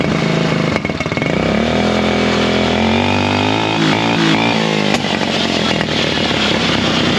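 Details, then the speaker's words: Buggy single-cylinder after air-filter foam work on the carburettor setup. It picks up cleanly through a rev and settles back without popping or backfiring, pulling its revs freely. Normal revving. "Bon, la bonne nouvelle, c'est qu'il pétarde plus à un moment. Il prend ses tours, je pense."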